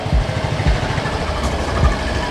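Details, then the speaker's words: Used Yamaha Mio M3 scooter engine check, exhaust closed: low, steady idle thump with even pulses and no knocks or rattles; engine idling smoothly. "Hier ist es glatt, zu hören auf das Geräusch des Motors."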